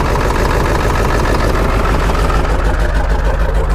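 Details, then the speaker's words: Ford 7.3 Powerstroke diesel idling, engine shaking badly, choppy exhaust, not hitting on all eight; heavy lumpy uneven beat, rough idle. "all right guys so here it is running and uh you can see it's shaking okay really bad"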